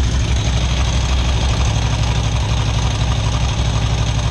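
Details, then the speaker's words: Harley big V-twin idling after a cheap top-end part was fitted, with a loping, uneven beat; ticking much reduced, only a faint top-end tick remains. "oh yeah it is much quieter in person the ticking has gone down significantly"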